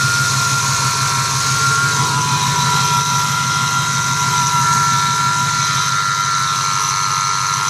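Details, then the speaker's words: 2008 Ford F-150 4.6 idling: constant high thin whine from under the hood, heard for a year; owner suspects the idler pulleys, mechanic found nothing wrong; cause unconfirmed. "I don't know if you can hear it on video clearly, but there's a whining noise, and you can clearly tell it's coming from the idler pulleys."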